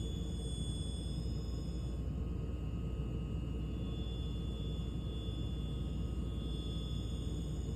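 Deep, steady roar holds at an even low rumble with faint tones on top and no clicks; the heater roars loudly as it shuts off.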